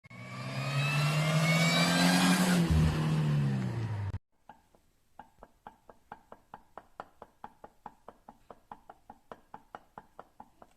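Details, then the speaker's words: Mercedes SLK R170, found during timing chain renewal: hard revving, then light regular clicking about 2.5 per second from the supercharger's two worn rear needle bearings with play; bearings to be replaced. "So, wie ihr eben gerade hören konntet, das Geräusch, was da verursacht wurde, liegt ja am Kompressor und zwar hier hinten an den beiden Nachilagern. Die sind ein bisschen ausgeschlagen, dadurch kommt dieses Klackern zutage und die machen wir jetzt einmal neu."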